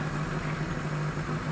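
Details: Chevrolet Aveo before repair, idle RPM rising and falling, shaking, sometimes stalling when slowing; scan later found heated O2 sensor 1 high voltage and EGR open position codes: low, unsteady wavering idle drone; rough idle.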